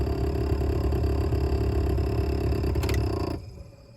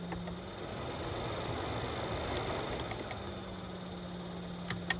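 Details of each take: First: 1998-2002 Oldsmobile Intrigue HVAC blower motor before replacement, making a lot of noise; rough rumbling growl with fast uneven flutter, then dying away; worn blower motor bearings. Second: New replacement blower motor for 1998-2002 Oldsmobile Intrigue tested before installing, old one had failed bearings; steady even hum, no rattle or scrape, clean coast-down when switched off; normal healthy run.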